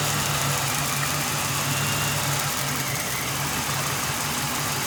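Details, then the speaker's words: 2011 Ford Crown Victoria Police Interceptor, 53,000 miles, collision damaged, sat almost 2 years, suspected bad fuel pump, fuel poured in: steady V8 idle, even low rumble, no knocks; won't rev, limp mode, check engine light. Normal idle. "Engine sounds good."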